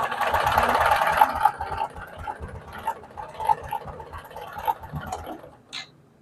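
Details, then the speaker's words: Honda Karisma (Supra X125-type) motorcycle engine, previously run out of oil; with the cam chain tensioner pressed the quick uneven tapping, three or four per second, persists at idle, ruling out the cam chain: connecting rod big-end knock. "Oke, ini udah ditekan, masih berisik."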